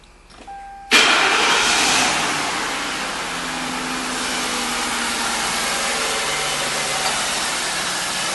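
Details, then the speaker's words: 2000 Mercury Grand Marquis 4.6 L, after intake manifold gasket replacement and misfire repair: brief warning chime, then the engine catches at once and settles into a steady even idle with no misfires. "And as you can see, it runs fairly well. Let's check the computer and see what shows up. That's it. No misfires. All the cylinders are firing exactly as they're supposed to be."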